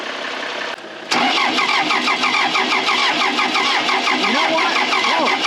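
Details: Case 450B dozer abandoned 15 years, freshly rebuilt Roosa Master DB2 injection pump, injectors cracked for bleeding: slow rhythmic cranking about three beats a second that begins to catch and fire unevenly; hard starting as air still purges from the fuel lines.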